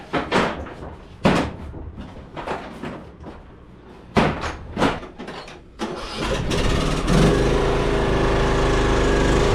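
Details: Craftsman riding mower that sat two years and wouldn't start, after fixing a dead battery and bad connections and replacing the starter and carb. It starts cleanly after some handling clunks and runs at a steady, even drone; normal running.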